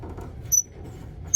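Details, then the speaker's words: Whirlpool Cabrio dryer: two sharp high-pitched chirping squeaks about a second apart, from a dry, worn plastic idler pulley that no longer spins freely; the belt looks fine. "but that's why I think it's this this plastic pulley as I'm doing this that's a clear indicator is the exact same sound it might be the belt but the belt looks like it's in pretty good shape from what I can see here very confident it's that pulley"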